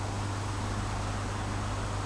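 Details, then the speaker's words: Spare transformer with about 35 V output, dodgy wiring, driving a bicarb electrolysis bath: loud, steady low mains buzz with hiss, straining as if heavily loaded; owner suspects a direct short somewhere, and it soon smoked and burnt out. "where we just got direct shorts somewhere I don't know anyway let's see how this goes I don't really like the sound of it"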